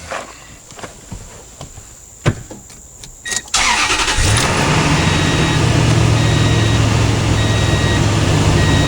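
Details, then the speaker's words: Toyota Tundra after a no-start, fixed with a brand-new battery: brief crank catches within a second, settles into smooth even idle; starts and runs fine. "fixed the truck again I'm a genius qualified shake tree mechanic right here yeah it's got the good one Bob up working fine"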